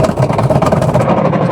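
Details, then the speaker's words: Washing machine agitating with the pulsator still fitted: loud, rough churning with a low rumble through each stroke. It reverses but is very noisy, and the timer cuts in and out; a noisy gearbox during agitation. "Napakaingay. Pero nagre-reverse siya. Pahinto-hinto nga lang yung timer."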